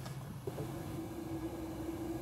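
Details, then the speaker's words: 1910 Stanley Steamer model 60 cold start, main burner cracked open slightly after preheat: steady roar rises with clear whistle near 300 Hz from fuel entering the vaporizer at high rate; burner running normally. "I'm going to crack the main burner very slightly and you'll hear the main burner kick on which is much louder"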